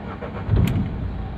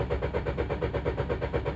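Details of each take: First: Renault Duster 110 diesel after replacing the sticking diesel injection pump relay and its fuse: short crank, then it catches cleanly and settles into a steady even idle; normal start after repair. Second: Renault Duster with an intermittent starting problem, rail pressure fault seen earlier: the starter churns steadily at about four pulses a second but the engine never fires; crank, no start.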